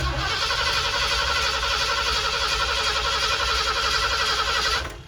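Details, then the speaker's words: 1979 Ford Bronco under restoration, with a new relay setup and the battery charged; brisk, even cranking at about four turns a second that never catches, then cuts out; crank no start, owner suspects the distributor, coil or a bad ground, with ignition power possibly dropping out. "still nothing at this point don't have much of a clue i'm thinking something in here now"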